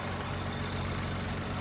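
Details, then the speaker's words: All-stock Nissan 400Z twin-turbo V6, automatic, with stock intake and what looks like stock exhaust, at an auction yard: smooth, even idle with a steady deep hum, no knocks, ticks or misses; sounds good, healthy. "She sounds good, guys. She sounds, for all stock, too."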